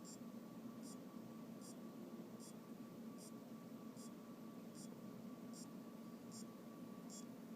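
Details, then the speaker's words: AOpen LCD monitor that won't turn on: power supply makes steady clock-like ticking, about one tick every 0.8 s over a faint hum, after capacitors were replaced and diodes, rectifier and transistor checked; the supply is cycling and the source component is still unidentified. "este me encuentro con que hay un ruido pare parece como el de un Ah reloj y no estoy 100% seguro de dónde viene el sonido"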